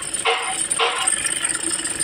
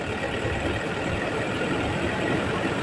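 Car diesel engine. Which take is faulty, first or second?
first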